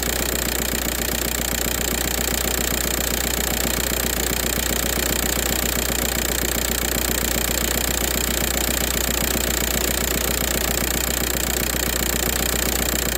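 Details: 2004 VW Jetta TDI diesel with a morning no-start problem unless WD-40 is used: steady idle clatter with an even, regular knock rhythm and no misses, running smoothly after starting.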